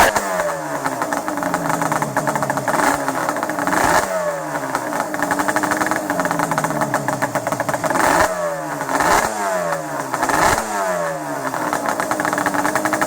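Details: Banshee 350 two-stroke started after 6 months in storage with fresh mixed fuel and drained carb bowl; cold engine revs unevenly, blubbering and surging between throttle blips, owner says it always runs like that cold; rough running when cold.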